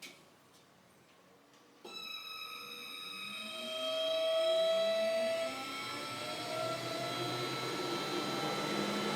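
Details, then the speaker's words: 1977 Camaro Z28 cooling fans on a replacement fan controller wind up with a high-pitched squeal that the instructions say is normal soft start; the old faulty controller just ticked straight on. "victory all right so i can hear the difference now on these fans you can probably hear it too when they spin up it has that high-pitched squeal it says on the instructions that it might do that"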